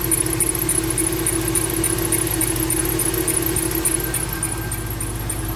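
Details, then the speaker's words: 2012 Mercedes-Benz C300 at steady idle, sharp high chirp/squeak about three times a second from the engine bay; belt, tensioner and pulleys already replaced, noise persists, source undetermined. "i had no idea where the noise is coming from i've changed the tension i've changed all the pulleys changed the belt and i'm still having the same noise"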